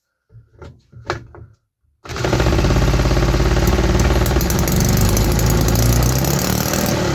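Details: 3D-printed 125cc two-stroke running on starter fluid with the carburettor removed. Harsh, rapid buzzing note sounds flat and weak. After two runs the engine is almost out of compression, with piston heat damage suspected; it is to be opened up.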